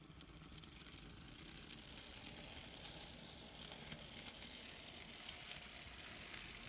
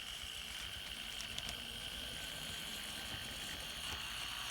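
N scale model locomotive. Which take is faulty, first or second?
second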